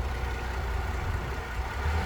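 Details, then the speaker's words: V6 Mercury outboard on a Boston Whaler 21, previously missing from a spark plug problem, idling in neutral, not fully warm; a low, even rumble without stumbles or shaking, running on all cylinders. "She's not warmed up all the way either, but yeah, listen to that, that's smooth. Just a little RPMs, and that thing should be shaking all over if it wasn't hitting on all the cylinders."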